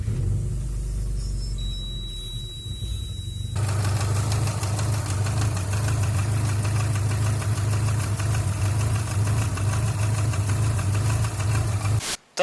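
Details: Subaru engine at idle: steady idle with light, fairly even tapping from the front of the engine; a poor-quality timing belt tensioner suspected, whole timing belt assembly to be replaced.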